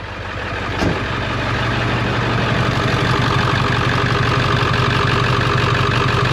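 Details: 1999 Ford F350 7.3 turbo diesel after high-pressure oil line replacement: loud steady idle with a rhythmic chop about four beats a second; source of the chopping unclear.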